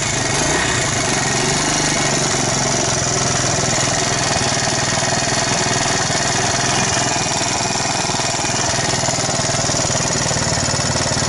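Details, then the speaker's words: Alpha moped engine after a rebuild with a 110 crankshaft and piston kit, 72 head and new Japanese bearings: a dull steady knock over the idle from the piston hitting an undersized head gasket from the kit. "после запуска двигателя появился стук"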